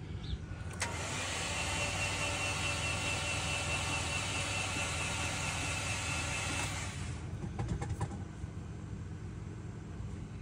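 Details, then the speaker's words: Subaru XT bought cheap cranks at a quick, even rate for about six seconds without catching, then stops; cranks but won't fire. Owner initially feared low compression, but a test shows compression, just a little tired; rod knock or a holed block suspected. "this thing will even start or run doesn't sound like there's compression to"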